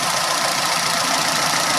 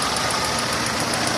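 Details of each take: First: Renault on LPG after swapping noisy Atiker 3-ohm LPG injectors for Vikars 2-ohm injectors: steady, even idle with smooth hiss and no irregular ticking, injectors quiet and healthy, running slightly improved. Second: Renault on LPG idling with sharp, even high ticking about seven times a second from noisy Atiker 3-ohm gas injectors, described as sounding like valve noise; later swapped for Vikars 2-ohm injectors, which ran slightly better.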